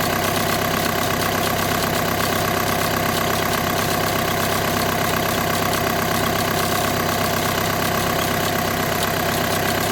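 Steady idle with a busy metallic rattle and fine rapid ticking over the engine hum, fitting dual-clutch pack vibration at idle.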